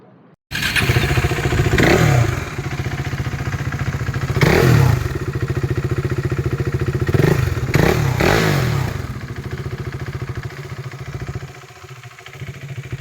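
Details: KTM 390 single (2017 BS4 Duke 390 at 14k km or 2015 BS3 RC 390 at 13k km), single owner, kilometres and ECU checked, seller reports no problem. Starts cleanly, even thump, revs up and down smoothly. Normal start and revving.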